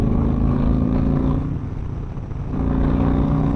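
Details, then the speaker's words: 2008 Yamaha Raider V-twin (pre-slipper-clutch) after bleeding clutch line to cure slipping: hammering it in fourth at around 70 mph interstate speed, revs climb evenly with road speed, no flare; clutch holds, fluid/air was the cause. "it's so much better it was the fluid"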